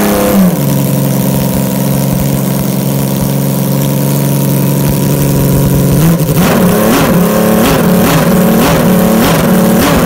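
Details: 374cc six-cylinder engine built from two Yamaha FZR250R engines, remade crankshaft with needle roller mains and big ends, carbs synchronized, first start without radiator before warm-up: smooth even idle with clean crisp throttle blips; normal running.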